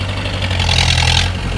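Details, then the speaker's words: 1986 Mahindra 500D jeep, International slow-speed direct-injection diesel, 3+1 gearbox, cold-started after 18 years on diesel fed directly: loud raspy chuff and hiss instead of a muffled thrum; broken exhaust silencer. "ഒന്നരക്കാ silencer പൊട്ടുണ്ട്. അപ്പോൾ നല്ല sound വ്യത്യാസമുണ്ട്."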